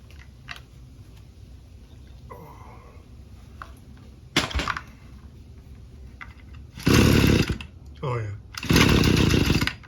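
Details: Free, non-running two-stroke weed eater with a busted primer bulb, fed a little fuel directly: quiet at first, then two short buzzy high-revving bursts with a pause as it fires and picks up.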